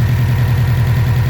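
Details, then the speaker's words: 2006 Subaru STi: lumpy uneven idle with low throb, engine shaking, worsening, blue smoke; looks like blown head gasket but oil not white, so mechanic suspects failed turbo pushing compression into engine. "it gets so bad that looks like a blow head gasket but the oil looks good to me it doesn't look white so I think the turbo let go and inside the tool is pushing compression but inside the engine"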